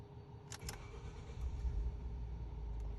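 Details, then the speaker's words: 2011 Ford F-150 after fitting new spark plugs for random misfire code: starter catches quickly, engine settles into even steady rumble with no stumble; clean start, scan shows no codes except a cooling one. "ه اشتغلت طبعا ماكو تيك انجن نجي هنا نقوله اقرا الكودات ماكو ولا كود"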